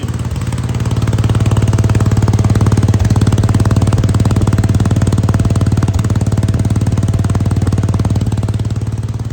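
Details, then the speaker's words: Wheel Horse C-120 small tractor started once fuel was getting up: steady, even firing at constant speed with a smooth low thump and no misses or knocks; normal running. "Listen to that, you beauty."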